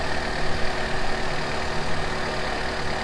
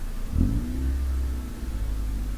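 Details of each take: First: Honda CRX ED8 engine idling after a throttle body swap, warming up, no codes and steady RPM: steady, even low idle with constant pitch and a couple of brief background clunks; idling really smooth, sounds much better with the new throttle body. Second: Honda CRX (ED8) after throttle body swap: throttle blip, then engine hangs at raised steady rumble instead of dropping to normal 800-900 rpm; throttle butterfly not returning fully closed until pedal pulled back.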